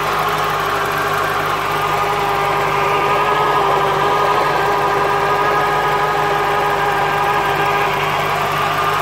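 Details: 1996 Corvette C4 LT4 with ZF manual gearbox: idling with a steady mid-pitched whine and light uneven rattle from the gearbox area; gearbox noise problem.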